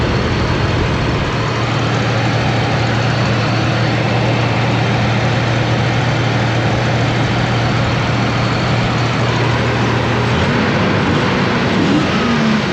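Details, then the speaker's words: Toyota 4Runner 3.0 V6 after head gaskets, timing belt, valve adjustment and distributor moved one tooth: steady, even engine note, running on all six with no misses, only slight smoke for now; normal running. "all right but she runs sounds like it's on all six yeah it's alive only slightly smoking for the time being"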